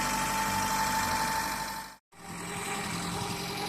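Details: JDM car at idle after rebuilding the knocking engine's bottom end and correcting wrongly set timing belt marks; even, steady idle with a smooth beat and no knocking.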